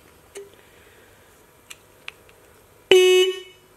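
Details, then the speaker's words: 1965 Honda S600 Mitsuba horn on a 12 V bench supply during restoration: turning the contact adjusting screw changes the tone and it sounds worse, giving a single half-second buzzy, rough mid-tone honk after faint taps. "i wonder if adjusting this is gonna like change the tone of it we'll give it a little bit see what happens that sounds worse"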